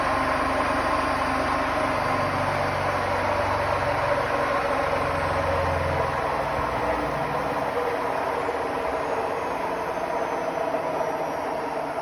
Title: Hotpoint Smart Tech WMFUG742 || Slowing down from 1400 for the very last time with bad bearings